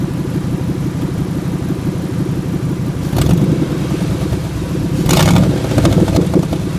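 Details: 1997 Ford F150 4.6L Romeo V8 at idle: uneven lumpy stumbling, surging and sputtering; sputters at stop signs without stalling, once failed to start beyond about 300 rpm; cause unknown, owner hopes not the catalytic converters.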